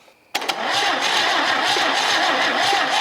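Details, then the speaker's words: Fast, uneven cranking with a raspy whir and little resistance during a compression test on a long-parked 1964 Chevy C10 250 straight six; cylinders read about 75; worn or stuck rings suspected, and cylinders might be soaked with ATF overnight. "that one's jumping up to about 75 might be soaking these things down with some ATF and just leaving this overnight let's see if these Rings start open it up a little bit that would be a pretty good indication on why it's not wanting to run though"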